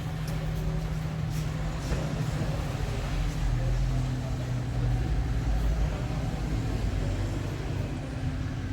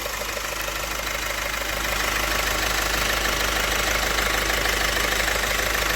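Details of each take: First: Opel Astra J 1.6 CDTI 136 hp diesel at 67,000 km, after repair of an engine noise tied to the timing chain: a steady, even idle with a smooth low rumble and no rattle or chain slap. The noise is gone. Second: Opel 1.6 CDTI 136 hp diesel, 67,000 km, car raised: steady idle with even metallic rattle about three beats a second over diesel clatter; worn timing chain and damaged sprocket teeth found.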